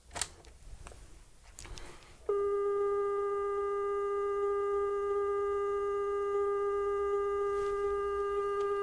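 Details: New Panda F-539 twin-deck stereo boombox playing a 400 Hz test tape: after a click, a steady, clean, unwavering tone, measured at 403 Hz. Normal, accurate tape playback speed.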